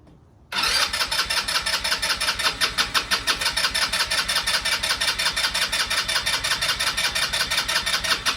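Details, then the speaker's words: 2015 Tao Motors Snow Leopard 200cc snowmobile after sitting seven years, oil checked full: fires within half a second and settles into a steady, even single-cylinder putter at idle, no misses; healthy start. "there we go this is really cool all right okay so it starts now"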